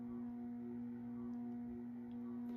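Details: Moss Heirloom Olympus 52" ceiling fan (made by CEC early 1980s) on low at about 55 RPM, trim pot likely at factory setting: a steady mid-pitched buzzing hum from the variable speed control, among the loudest the owner has; it quiets much at full speed.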